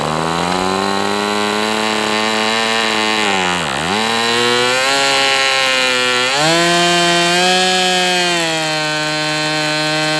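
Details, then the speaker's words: MDS 68 FS Pro four-stroke glow model engine on break-in, warm. High steady scream sags sharply when throttled back, nearly dies, then climbs again. Owner suspects low-speed needle closed or throttle stop mis-set; dies before hitting stop. "So it seems like the low speed is just like closed or something, because anytime I go down it's just like, so I open that low speed up and maybe I've got my throttle stop screw set to open."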